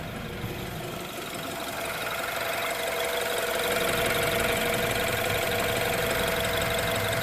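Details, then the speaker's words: 2016 BMW X3 direct-injection turbo engine after engine flush and AMSOIL 0W-20 synthetic oil change, warm idle: light, even injector tick with little mechanical noise beneath; normal. "That direct injection is ticking away. It's good. Very good motor now."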